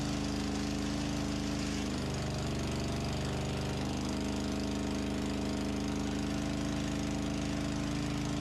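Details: Antique farm loader, first start indoors after engine reinstall and hydraulic system repair, fuel system possibly primed with bubbles in the clear hose: steady, even chugging at constant idle, firm low drone, no knocks or stumbles, running smoothly.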